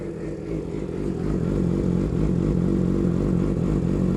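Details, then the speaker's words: Motorcycle engine started cold, not warmed up: light, steady tick under a loud exhaust, seeming to come from the upper engine area; owner unsure, cam chain tensioner questioned; found to be a loose exhaust header bracket. "though that exhaust is so freaking loud yeah it sounds like it's coming from in there see if I can crank it up and you can hear it more yeah it's it's somewhere up in that region"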